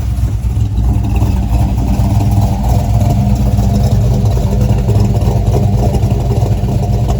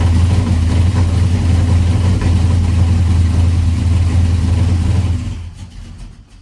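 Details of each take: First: 1985 Chevy C10 small-block V8 with cam, newly converted to ACES EFI, untuned: deep, loud idle with a choppy cam lope, steady with no misses or knocks; sounds better than it did with the carburetor. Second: 1985 Chevy C10 cammed small-block V8, ACES EFI first start after tuning changes (value bumped to 25, idle ignition timing 15): lumpy, uneven beat on throttle that sags and dies when released; still won't idle, running rich.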